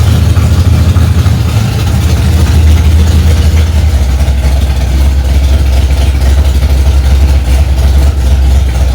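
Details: Freshly rebuilt Ford 289 small-block V8 in a 1965 Mustang "Hack Job", first start after months of work: strong steady low rumble at high idle, even, no knocks or misses; normal fast idle.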